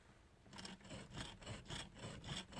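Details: Fiat Uno: a dry, rasping metal scrape about twice a second as the steering wheel is turned back and forth, present for two to three years. The owner suspects the signal stalk or the hub, and it traces to the steering wheel contact plate rubbing.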